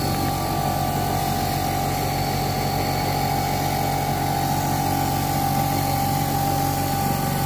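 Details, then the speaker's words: Lab motor-generator set (separately excited DC generator setup), supply set to 220 V and single-phase AC at 100 V, after main switch on: even steady electrical hum with constant tone and low rumble; normal run. "Kemudian untuk langkah terakhir adalah untuk menjalankan kedua mesin ini, kita akan menyalakan main switch-nya."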